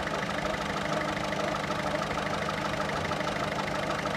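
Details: 1.6 HDi 90 hp diesel at idle: steady clatter with an extra ticking tap about twice a second riding over it. Abnormal engine noise, cause unclear.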